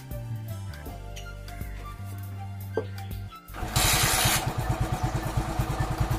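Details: TVS XL100 small engine after carburetor cleaning, starting after music and settling into a steady, even putter of about three beats a second, running smoothly; normal running.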